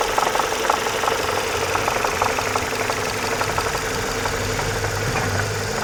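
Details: Renault Mégane II engine knocking when hot, heard on lift-off and at steady revs while driving: light, irregular metallic tapping about three a second over a steady engine hum; cause unknown.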